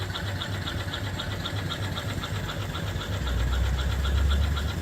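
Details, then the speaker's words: Upside-down 1880s-style 5 HP steam engine on new 20-inch boiler; soft regular chuffing about four beats a second with smooth low thump, runs beautifully. "And uh It runs beautiful."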